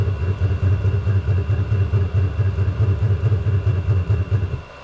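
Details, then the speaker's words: VEVOR diesel heater with custom burn head and stainless mesh, on setting six: deep uneven chuffing about two pulses a second, no exhaust flames but smoking and not burning all the diesel; rough combustion, owner questions insufficient air. "no flames shooting out the exhaust now but it still doesn't sound good [Music] that's not good at all"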